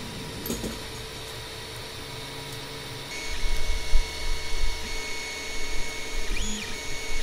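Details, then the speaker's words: Longer LK1 / Alfawise U20 3D printer modified to run quieter, microphone at a ruler's length from the centred head: soft steady fan hum, quiet stepper buzzing and short whirring head moves; normal printing. "Donc, je vais partir les micros, puis je vais partir l'impression."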